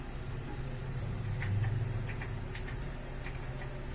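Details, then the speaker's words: Astron electric fan that had dried out of oil, after oiling, run on speed 1: strong airflow and a soft, steady low hum with only faint stray clicks, no rattle or grinding; the earlier noise is gone. "Malakas po siya kapatid, saka wala ng ingay."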